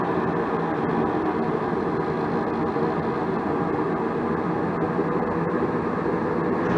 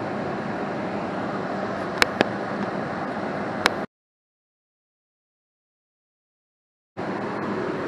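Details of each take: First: 80% single-stage Goodman natural gas furnace whose gas valve outlet pressure was only 0.06 inches of water column. Igniter lights after the valve is turned about two turns in, giving a low flame that firms up as pressure is raised toward 3.3 inches. Low gas pressure. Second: 80% single-stage Goodman natural gas furnace, fired, with an X13 blower motor drawing 1.93 amps. Steady, even rush of burner and blower with no rumble or pulsing. Normal furnace operation.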